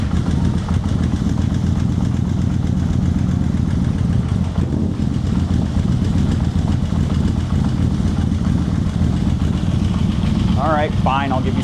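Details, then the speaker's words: Yamaha VMax carbureted engine, cold start after coolant refill to burp radiator: uneven, lumpy low-pitched running struggling to settle until choke added, then runs happily; hard cold start needing choke. "I'll give you some choke. There it goes, now it's happy."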